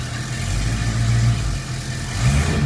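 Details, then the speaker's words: 1973 AMC Hornet with open vacuum lines, leaks and hack work removed: in gear with the brake held tight, the engine picks up cleanly on a quick throttle blip and settles without stumbling, where before it cut out; master cylinder suspected. "before, it would have went whoop and just cut out doing that. So, definitely ahead of the game there."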